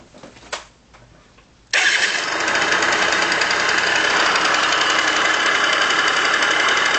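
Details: Yamaha Aerox scooter, noise suspected from variator: starts and settles into loud rough rattly run with fast uneven knocking underneath. Worn crankshaft main bearings.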